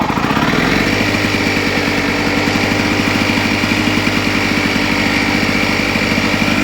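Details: Lawn Boy two-stroke lawn mower after pull rope replacement, primed three times and started: buzzes at a steady high speed, crisp and even with no misfires or surging, running normally.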